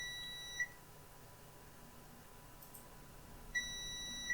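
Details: Short sharp high beeps as the meter probes the display-connector ground pins of a Lenovo ThinkPad X201 motherboard with no backlight power. The ground pins are connected as expected.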